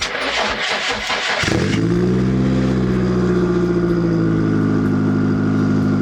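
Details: Nissan 240SX with SR20 swap, first start after GTX2860 dual ball bearing turbo upgrade, 850cc injectors, Z32 MAF, FMIC, 340lph pump and new ECU; cranks, catches fast, settles into smooth steady idle without misses; no leaks, small audible exhaust leak.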